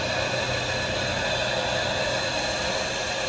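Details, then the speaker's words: Fire sprinkler system drain valve opened manually to simulate a broken sprinkler, triggering the water flow switch alarm; steady, even rushing hiss with no pulsing or gurgling as water flows freely through the open drain valve. "जैसे ही कोई sprinkler टूटा तो हम drain valve खोल रहे हैं, ये drain valve है, ये समझ लीजिए स्प्रिंकलर टूटता है तो पानी ड्रेन होता है, उसी प्रकार हम मैनुअल ड्रेन कर रहे हैं।"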